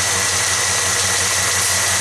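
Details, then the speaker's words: Truck engine idling with one plug wire deliberately removed: rhythmic uneven lope with a hole in the exhaust beat three or four times a second; dead cylinder misfire from the disconnected plug wire. "Alright, for example, plug wire has been removed, so it's not firing."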